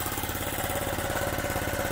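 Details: Honda Z50 just after first cold start without choke, chain off, new spark plug, carburetor fixed: quick, even putter of the small single holding steady with no misses or knocks; normal idle.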